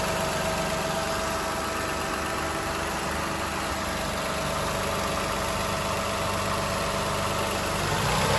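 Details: 2007 Toyota Highlander 3MZ-FE V6 idling evenly with a steady light rattling knock; cause unknown, owner wonders about an exhaust leak.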